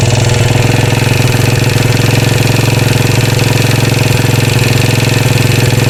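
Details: 2013 Royal Enfield Classic 500 single, reassembled after teardown for stray M5x35 bolts: decompressor noise gone, steady idle with a rhythmic metallic oscillating rattle pulsing two to three times a second; oil level okay, tappets and rockers to be checked, source not found.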